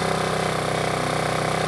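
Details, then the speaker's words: Generator with a Yamaha MZ80 engine, always a one-pull starter: a steady, even single-cylinder beat with a smooth exhaust note and no misses or knocks. Healthy normal running; the owner says both run real well. "that one there has always been a one full starter that Yamaha has been too they both run real well"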